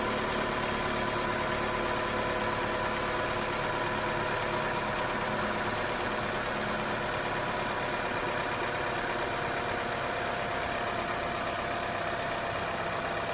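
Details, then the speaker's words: 2014 Opel Corsa D 1.4 after replacing the coil pack, which had been shorting cylinder 4 high voltage to the block and causing RPM fluctuation: the idle is now even and steady, with no misses. It runs smoother than before. "And not only does it run smoothly, it's much smoother than before."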